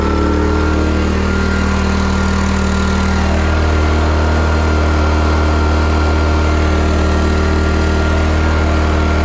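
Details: Serviced petrol job-site generator powering about 1700 W, around 7.2 A, from a 2000 W hot air gun: the engine holds a steady, even drone under heavy load with no hunting or surging; running healthy.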